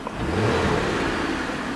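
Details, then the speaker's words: Holden Commodore ute, automatic: rough churning mechanical noise under load as revs rise. The gearbox appears blown, with no reverse and forward drive earlier barely moving. "yeah there's all sort I don't know if you guys can hear it but there's all sorts of horrible noises coming from this box"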